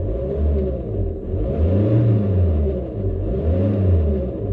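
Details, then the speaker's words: VW Golf Plus 1.9 TDI 90bhp 5-speed manual, warm (coolant ~90°C), revving: low diesel rumble rising and falling with an uneven whirring drone underneath; suspected alternator pulley, aircon pulley or auxiliary belt tensioner. "attachments or either alternator pulley uh aircon pulley or it could be the actual uh auxiliary belt tensioner that causing any of this noise"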